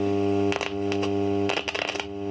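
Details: Astor radio, cleaned up, powered by a wall wart: steady low hard-edged buzz under crackling bursts, hum from DC ripple; filter caps needed.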